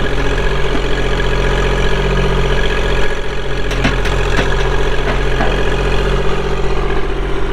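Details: 2016 Kubota L2501 4WD hydrostatic compact tractor with LA525 front loader, 162 hours, at idle: steady, even diesel chug with a smooth low rumble and no knocks or misses; a healthy engine.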